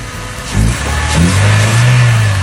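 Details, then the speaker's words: Car that would not start, now running after the repair: it fires quickly and rises into a strong, even rev with no stumble or misfire over background music, with strong power, problem solved; normal running. "power is also very strong the problem has been completely solved"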